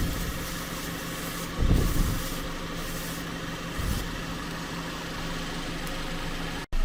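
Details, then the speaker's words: Rebuilt salvage 2014 Cadillac CTS at final assembly: even, steady idle hum with a couple of brief handling bumps, no misses or hissing leaks; healthy idle, running good. "but anyways she's looking good and she's running good and we're happy"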